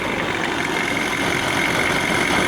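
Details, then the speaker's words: 1987 Johnson 40 hp two-stroke outboard, warmed up after carb adjustment: steady buzzy idle with a thin high whir and no stumbles, settling lower; normal idle. "a little warm up see how it's idling lower now yeah it's very warm up"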